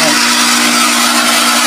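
Steady, even motor hum with a constant low tone and smooth hiss, no knocking or grinding; the pump runs normally.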